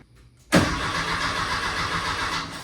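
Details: Porsche 356 build, first start attempt with new fuel line and wiring after removing an overheating hot wire: steady rhythmic cranking with no catch or firing; ignition coil left disconnected so no spark, crank no start.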